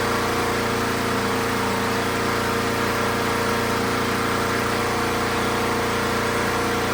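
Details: Fairly new lawn mower that would not start, fired after starting fluid, possibly flooded and smoking heavily: steady, even small-engine drone with no misses or surging; now running normally.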